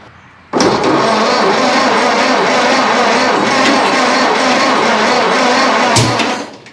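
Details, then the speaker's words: 1930s Ford Model A, sitting unrun for over 20 years, cranking with fuel apparently now reaching the engine; cranking churns unevenly for several seconds, then one sharp, deep bang: a backfire while trying to start. "well backfired so that's a plus"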